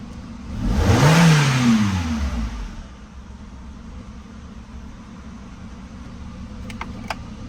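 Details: 2002 Renault Scenic 1.6i after repairing a wiring fault that left the engine control unit with 3.5 V instead of 12 V: engine catches at once, flares briefly, settles into quiet steady idle.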